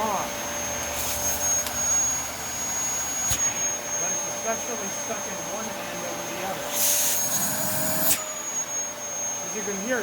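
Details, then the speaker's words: Dyson vacuum (65 mentioned) with discoloured HEPA filter needing changing: high suction whine that strains and shifts pitch as the wand moves, something stuck in the wand causing a blockage. "okay oh the wand is something stuck in the wall"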